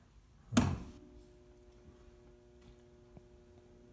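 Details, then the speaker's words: Kenmore Elite Ultra Wash dishwasher in diagnostic mode, door locked, fill stage (wash motor weak): single sharp click as inlet valve opens, then faint steady hum of water filling; normal fill valve operation. "It's filling right now, so the first light was filling"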